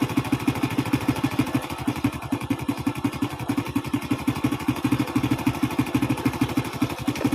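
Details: Carbureted single-cylinder motorcycle with black-fouling plugs and hard starting, after carburetor cleaning: steady, even putter about three firings a second, no misses or stumbles; idles cleanly, though weak CDI ignition found.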